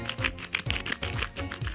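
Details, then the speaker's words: Candy 7 kg washing machine with sealed, glued tub, inner drum bearing just knocked out and spun by hand: uneven gritty rumble with irregular clicks, unlike the smooth outer bearing; worn inner bearing, why the machine would not spin. "вы слышите, что он шел с дефектом уже."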